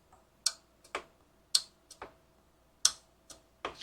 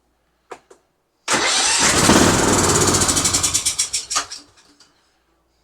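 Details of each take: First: Husqvarna riding mower that wouldn't run: at key-on the carburetor's anti-backfire fuel solenoid gives sharp, crisp ticks in a quiet room, one or two per second, snapping open to let fuel to the jet as it should. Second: Husqvarna YTH20F42 20hp riding mower, yard-sale find that had been sitting and wouldn't run: clicks, short crank catching into loud rough run that stumbles out after about three seconds, black smoke cloud; excess fuel, likely in intake, hard start after sitting.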